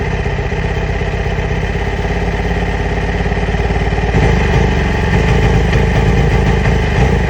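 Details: 2008 Yamaha R6 motorcycle idling after a throttle blip: lumpy, uneven beat with ragged exhaust rhythm; rough idle, cause unconfirmed, owner has ordered new ignition coils and spark plugs.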